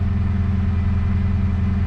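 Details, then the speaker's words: Manual Holden Commodore SS on a lift, rear wheels up; steady drone with revs held well above idle because it dies when left to idle; owner suspects the alternator; stalls at idle. "I think if I let the car idle it just dies but let's see if it idles yeah it just goes to shut off"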